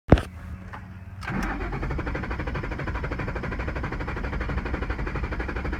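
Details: 2011 Ford Mustang GT: a click, then steady, even cranking for about five seconds with no firing; cranks but won't start.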